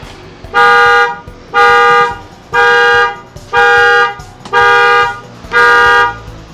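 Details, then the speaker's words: Car alarm sounding when the key is turned to start: six even horn honks about once a second because the alarm is still locked/armed and its anti-theft feature fires; the door switch should also be checked. "Kalau berbunyi sendiri itu biasanya juga yang karena posisi alarm mobilnya dalam keadaan terkunci. Jadi saat kita on baru mau starter, dia akan berbunyi."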